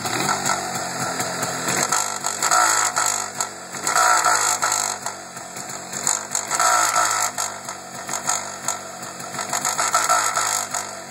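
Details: MZ ETZ 251 two-stroke motorcycle blipped repeatedly, with a harsh rattling, buzzy noise as revs fall from high rpm back to idle; present for five years since purchase, engine otherwise runs well on long trips, cause unknown.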